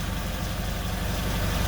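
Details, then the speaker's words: Nissan Altima idling after an exhaust leak repair with wrap tape and an added hose clamp. Low, steady idle thrum with no puffing, ticking or rasp; quiet, with no leak audible, normal idle. "so i added a little extra hose clamp there for some added rigidity and uh i'll tell you what pretty quiet i think she's gonna be uh inspection worthy"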